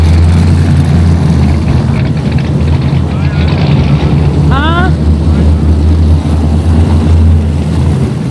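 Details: 1946 Ford truck rat rod with LS swap, 2006 5.3 L small-block V8 with 4L60E transmission and a big high-overlap cam: deep heavy rumble with uneven loping beat at idle, the car shaking in rhythm, normal as intended.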